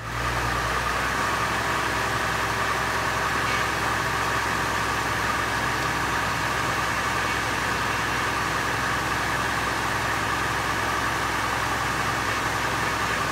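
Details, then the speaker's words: 2003 Chevy Trailblazer EXT 4.2L six-cylinder after a power steering rack replacement and refill, bleeding the system with the steering cycled: steady engine run with an even pump whine on top from air still in the system. "we'll do this a few more times until the power steering pump quits whining like my kids"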